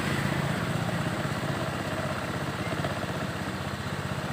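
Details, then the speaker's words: Honda Beat eSP scooter engine idling at a set 1600 rpm, checked with a J-Diag M100 Pro scanner that reads injector 2.3, in normal range: even, steady putter at a slightly raised idle with no knocks or misses; healthy engine. "Ini saya setel di 1600 derajat, 1600 rpm maksudnya, maaf. Kalau idle kalau bisa di atas 1500 itu lebih aman."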